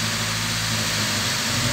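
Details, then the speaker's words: Chevrolet Vectra after lifter replacement and a new oil pump, engine cold at idle: the oil light goes out, but a light, quick ticking persists; still a lifter tick, suspected but not confirmed. "ele ainda tá com uma batidinha de tucho eu vou lá na frente mostrar para vocês e não tem o que fazer né galera"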